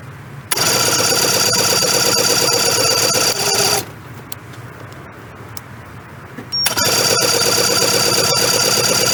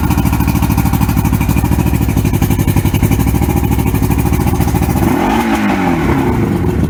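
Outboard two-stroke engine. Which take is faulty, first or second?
first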